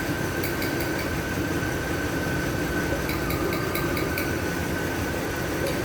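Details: Mercedes-Benz W221 misfiring at idle: an uneven idle with irregular puffs and stumbles breaking the steady hum now and then.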